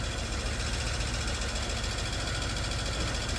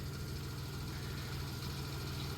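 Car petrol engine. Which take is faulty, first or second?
first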